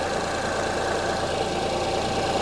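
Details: 2005 Honda Odyssey at idle with flashing check engine light and severe shaking; lumpy, uneven beat under the exhaust note as one cylinder misfires. Secondary ignition waveform testing showed cylinder 3 way different from the others.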